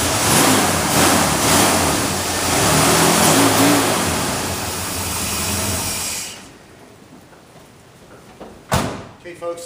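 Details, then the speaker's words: 1979 Ford F-150 4x4, 1973 460 V8, automatic, with FiTech fuel injection: strong, clean revs rising and falling quickly for about six seconds, then settling; crisp, healthy throttle response. "you can hear the fuel injection systems very responsive. Makes a big difference."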